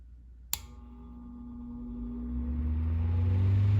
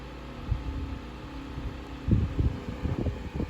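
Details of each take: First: 1950s Electrohome 8-inch desk fan, model 608S, shaded-pole motor, last oiled years ago (bearings sounded somewhat dry on spin-down): a click, then a low hum climbing smoothly to speed with no rattle or scrape. A healthy start-up. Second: 1950s Electrohome 8-inch single-speed desk fan, shaded-pole 2-pole 120V motor, blade hub previously repaired with epoxy, on a noisy table. Steady low hum with irregular thumps and rattles: vibration, likely from blades out of balance due to the epoxy.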